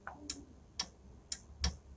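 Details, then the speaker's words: Lamination machine with no heating, power applied after repair: crisp relay clicks about twice a second over a quiet background; relay switching normally, circuit working. "यह relay की आवाज आ रही है आप थोड़ा सा सुनना ध्यान लगा कर"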